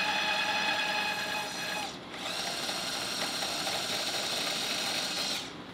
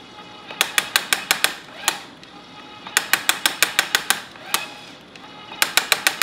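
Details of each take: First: Electric tapping arm cutting two 1/4-20 threaded holes through 3/8-inch steel plate with oil, set to 150 rpm in and 250 rpm out: even high-pitched motor whine, briefly dropping out as the spindle reverses, no chatter or strain; tapping normally. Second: Electric tapping arm cutting 3/8 thread in thick 3/8 plate at about 75 speed in: rapid bursts of sharp metallic clicks as torque clutch slips, setting possibly too light; fix is tightening clutch with pin wrench.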